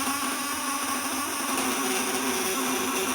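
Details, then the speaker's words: Homemade 1 kg 1000 W unit, after tightening the upper and lower platinum contacts: a steady, even mid-pitched buzz with no crackle. Output is at maximum, and further tightening raises it no more. "nah ini pasti maksimal segini nih karena kalau dia kencengin atas kencengin bawah ya udah nggak usah naik lagi"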